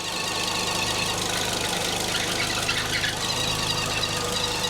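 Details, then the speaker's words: 2001 VW Beetle 1.6 petrol 8-valve at idle with the auxiliary belt tension released by hand: busy high chirping over the idle; AC compressor makes a slight noise turned by hand, worn compressor is the cause. "i can demonstrate by taking the tension off of the belt with the engine running so you can hear it chirping away"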